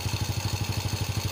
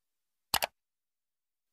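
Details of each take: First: Honda Supra X motorcycle engine after replacing a broken cam chain tensioner, cam chain and oil: even, quick exhaust pulses at steady idle, no chain rattle, much smoother than before; normal idle. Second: Honda Supra X motorcycle, kick started: a tinny metallic rattle rides over an uneven idle thump; rough-sounding engine, cause not yet found (possible causes include loose cam chain, worn cam chain roller or tensioner).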